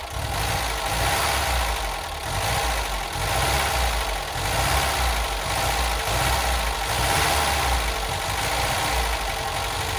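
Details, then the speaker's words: Classic Ford Fiesta barn find, first start after years in storage, cold and running on choke: steady, even idle with a slow rise and fall in speed; the old engine sounds healthy. "it runs and well isn't it just a Charming old car and that sounds really really nice we're on choke at the moment for those of you that remember what choke is"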